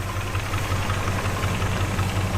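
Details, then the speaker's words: International Scout II, original 345 V8 showing 85,000 miles, idling: steady low rumble with a light, even tick on top at about six per second. This is the little ticking Scout motors are known for, normal. "Scout motors are known to have a little ticking noise."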